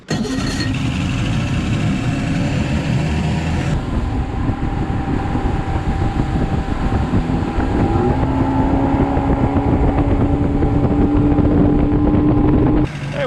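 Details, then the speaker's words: 1982 Glasstream bass boat, Chrysler 100hp outboard on test drive after resetting carburetor float heights (bent tangs): steady, even running under way, now hitting all four cylinders, much smoother and not smoking much. "the boat seems to be running really good not smoking a ton and running much smoother"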